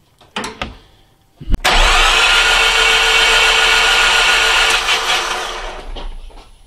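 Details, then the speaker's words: Nissan X-Trail with a suspected blown head gasket, cranked with spark plugs removed after a cooling-system pressure test lost pressure: fast, even starter whirr for about four seconds with no compression pulses. No water came out of the plug holes. "well we crimp the motor and we see if any water comes out of our spark plug holes so I'll do that"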